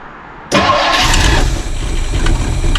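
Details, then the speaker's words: Older classic car, first start with choke pulled slightly and a little fresh fuel: engine catches straight away into a steady rumbling idle; some spitting, possible exhaust leak suspected, otherwise a clean start. "Yeah, it's running. Let's have a listen to the exhaust before she dies. It's alive."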